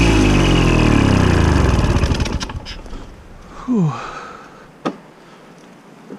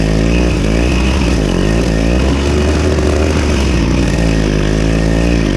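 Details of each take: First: Victa Super 24 / Super 600 70-series two-stroke mower, carb split and cleaned, fresh fuel, first mowing in years: the note sags and slows over two seconds, then cuts out. It ran out of fuel after a 500 ml fill and 1–2 test runs. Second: Victa Super 24 / Super 600 70-series two-stroke side-discharge mower, carb cleaned, mowing thick grass: raspy buzz dips briefly under load then recovers cleanly without stalling while throwing debris out the side; runs strong and healthy.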